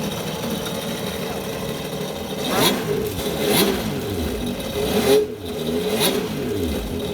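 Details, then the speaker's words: 2017 Yamaha jet ski, rebuilt after insurance-auction wreck, running on flush water hose after repair: engine revs up toward the top RPM in clean swells and drops back, pulling freely with no knocks or rattles; normal revving. "I like that sound. All right, I'll make sure. Turn the wheel? Turn the wheel. That's good. That's the RPM to the top, right? How do you, I love that sound."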